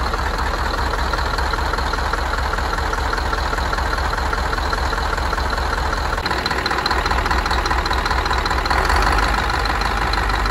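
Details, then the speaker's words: Rebuilt Scania DC16 PDE 16-litre 500 hp V8 diesel from an R500 truck, 1.6 million km, idling after repair. Deep, even idle with steady firing and no knocks or rattles: normal. "sau khi sửa chữa, chúng tôi để động cơ chạy không tải"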